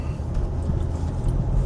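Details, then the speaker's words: 2000 Lexus RX300 on a test drive after replacing the ignition coil to fix misfire codes P0300, P0302 and P0304. Steady, even low rumble with no stumbles. Running much smoother than before, with no check engine light. "so here we are going on a test drive after replacing the coil and the uh RX300 as you can see the engine is running a lot smoother than it did there's no engine light"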